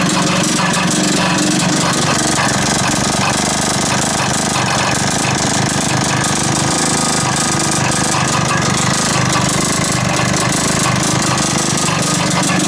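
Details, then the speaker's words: 1980s Mountfield AV85S vintage two-stroke lawn mower runs with a busy rattle and an uneven hard knock. Cause unknown; owner wonders if the blade is loose underneath. Engine knock while running. "we know that it does run and we know that it runs it's got a bit of a knock I don't know what that knocking is"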